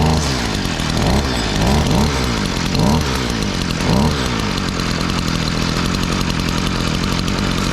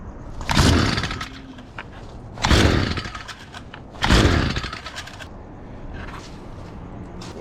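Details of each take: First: STIHL FS38 two-stroke line trimmer, first start after about two years with fresh fuel: revs briefly then settles to a steady, even buzzing idle; normal idle. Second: STIHL FS38 line trimmer, not run in about two years, fresh fuel, spark confirmed, carb adjusted: three rasping pull-cord strokes, engine never catches, because the throttle was not set in starting position (lockout, trigger up, flick forward).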